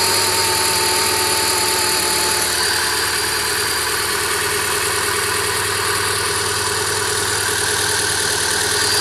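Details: Renault Clio 197 petrol idling with a rhythmic, slightly uneven, hesitant exhaust pulse and a strange hissy rattling noise from the engine bay; cause unidentified.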